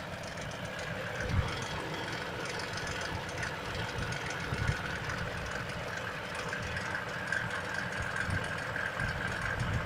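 Engine idling with a faint, irregular dull knock coming through every few seconds over the steady running noise; the cause can't be pinned down.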